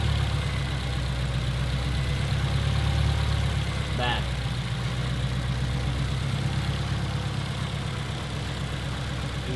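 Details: Engine idling with the check engine light on while ignition coils are unplugged one at a time to find the misfiring cylinder: uneven, lumpy idle with an irregular stumble; misfire on one cylinder, to be fixed with spark plugs and ignition coils.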